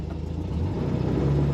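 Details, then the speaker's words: 1971 Volkswagen Super Beetle convertible, 1600cc AE twin-port air-cooled flat-four, 4-speed manual, while driving: low, even rumble, no knocks, misses or rattles; started instantly, runs smoothly, normal. "Nice sounding Volkswagen. They all run pretty smoothly. This one started up instantly with a twitch of the key."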